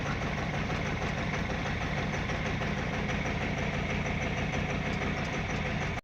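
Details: GAZelle with Cummins ISF 2.8 common-rail diesel at 165,000 km, idling around 750 rpm: a rough, clattery idle with an uneven knock. Cylinder 3 is identified as the source of the knock and smoke, an injector fault is suspected, and all injectors are to be removed and tested.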